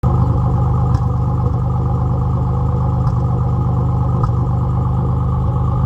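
Steady low idle with an uneven, lumpy beat and occasional stumbles every second or so; sounds like a misfire on one cylinder. Cause suspected, not confirmed.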